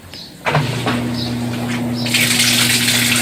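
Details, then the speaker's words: Colormaq 11 kg washing machine after upper drum bearing repair, draining in rinse cycle; steady low pump hum with water gushing out, no grinding or rattles; normal drain pump operation. "drenando, ou como diz no popular, jogando água."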